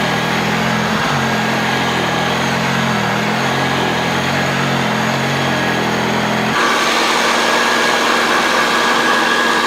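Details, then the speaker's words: Hoover Junior U1012 upright vacuum, fitted with a long replacement cable, running before refurbishment: steady, even motor roar with a deep growl, no rattles or scraping, pitch settling slightly higher; motor sounds healthy. "Sounds really good. It's got a really good growl on it, so it'd be interesting to see the agitation on this."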